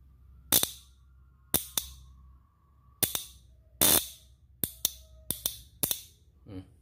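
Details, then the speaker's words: Square-type motorcycle starter relay bench-tested with 12 V fed to its small trigger pin from a battery: crisp sharp clicks, about ten in seven seconds, as the magnet pulls in; relay working normally. "Dia kalau normal, kalau bukan normal, kalau sistem kemagnetannya dia aktif, dia akan berbunyi seperti ini."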